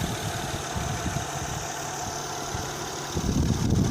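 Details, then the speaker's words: Normal smooth idle, soft even hum with no knocks or misses, of a 2008 Honda Odyssey EX-L 3.5 L J35 after an engine swap to a used 112K-mile motor with new timing belt kit, water pump, plugs and VCM disable kit. "The VSA light come off. She's purring like a kitten. No more light. All done here. She's running."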